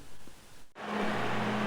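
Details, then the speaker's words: NZXT Kraken Z63 280 mm liquid cooler running outside a case with fans and pump at full speed; loud steady rush of air with a low even hum and no whistle; normal operation at full speed. "le crack and that 63 actuellement est en place avec les ventilateurs qui tourne à fond tout comme la pompe"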